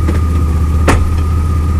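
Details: 2002 Chevrolet Blazer with drivetrain vibration and a gear oil leak, shifting between reverse and drive at idle: one sharp, heavy clunk and a slight jerk as the gear engages; driveline cause unknown.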